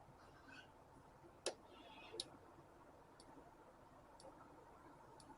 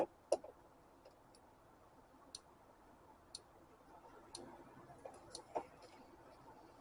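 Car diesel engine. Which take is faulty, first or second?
first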